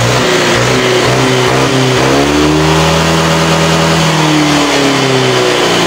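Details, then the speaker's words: Honda Vario scooter after the clogged catalytic converter was gutted and the exhaust refitted. Revs now climb cleanly from low down where it previously bogged, then fall back smoothly: normal throttle response. "gini mulai bawah ya biasanya tadi e biasanya Sebelumnya kan bawahnya ngempot"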